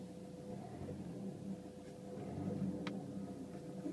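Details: Renault Megane III 1.5 dCi 106 diesel at idle: steady thin mid-pitched whine over the idle rumble, heard only inside the car; not the fuel pump, owner suspects the turbo, unconfirmed.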